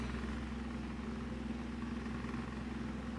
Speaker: it's loud on medium the vibration the fan is actually pretty quiet just the vibration is just oh Just Hear It going all wild